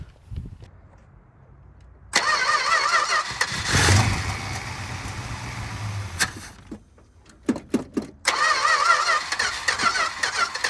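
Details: 1962 Dodge Custom 880 V8, said to have a cracked block, carburetor primed and fed from a temporary hose; starter grinds in short bursts, then it catches, runs unevenly and settles. It starts and keeps running.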